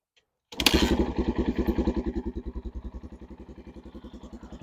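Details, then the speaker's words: 1989 Yamaha XT350 single, completely cold and unridden for about a week, started without choke: it catches straight away and settles into an even, steady thump with no stumbling or popping, a clean cold start. "yeah so for some reason this bike starting no problems like I said I haven't ridden this in about a week and it was completely cold start no choke"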